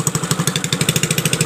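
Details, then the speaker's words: Piaggio Liberty four-stroke scooter just started after ignition fixed and oil added through plug hole: quick even exhaust pulses with a harsh raspy edge, rough sound from the air intake/breather fed from exhaust; rough running. "Nah sekarang udah nyala ya nah ini bunyi kasar dari yis-nya ya"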